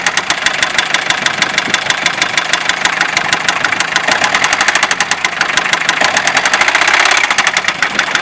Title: Стук в двигателе. Фиат Дукато 2,5 ТДИ.